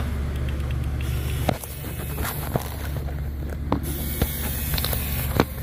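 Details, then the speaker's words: 2004 Dodge Ram (believed 2500) 5.9 Cummins that stalled after hitting deep water, code P0628 fuel pump control circuit low; after lift pump replacement, camera placed next to it: constant low electric hum with a few handling clicks, pump running steadily. "So now that we know the lift pump is operating, let's get ready to clear the codes and start it."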